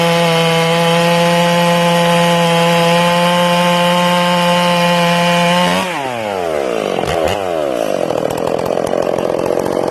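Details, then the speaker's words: Ported Stihl MS461, break-in, carb set a little rich, limited coil: a steady high scream, then it bogs entering the cut with a burbling, uneven note as the bar is pulled up slightly. This is rich four-stroking under load. "What I'm going to do in this cut, I'm going to hit the wood. Okay, you'll hear it 4-stroking."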